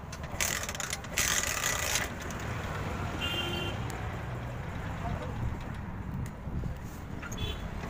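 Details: TVS Star City 110cc motorcycle after repair of exhaust popping and misfire, air filter cleaned: steady, even single-cylinder idle outdoors with no popping or stumbling; normal idle.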